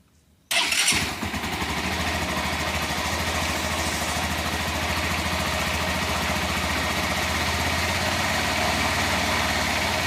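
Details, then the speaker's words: Honda CG Fan 150 motorcycle started cold, idling with a rough busy mechanical clatter under the exhaust; noise rises when revving, owner suspects a bearing, source unclear. "Bom dia pessoal vou mostrar para vocês um barulho aqui no motor da 150 ela tá fria barulho"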